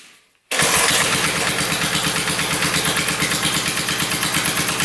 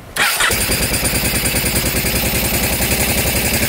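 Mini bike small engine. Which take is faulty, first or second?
first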